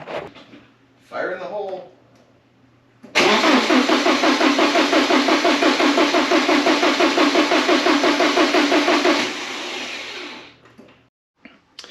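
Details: 1985.5 Porsche 944 non-turbo, sat for years, after replacing both reference sensors: steady, fast cranking at about three turns a second with no catch or firing; still cranks but won't start, and a wiring problem was later found.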